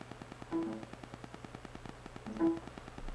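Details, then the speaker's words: 750 GB SATA hard drive in a docking station: faint, rapid, evenly spaced ticking about ten a second over a quiet hum as soon as it is installed; failing drive clicking. "That is the SATA drive, the 750 gigabyte. As soon as I installed it, that's what it did."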